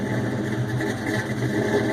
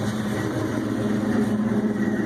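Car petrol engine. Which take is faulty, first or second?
first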